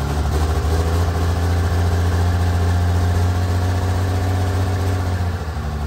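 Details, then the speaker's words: Freshly installed 1500hp Cummins diesel, run without coolant, cam break-in during hot re-torque: steady even drone at fast idle, smooth unbroken beat, no knocks or ticks. Normal high idle. "so our whole goal here guys is to break in the cam you want to do like a thousand to two thousand sweeping for about 10 minutes"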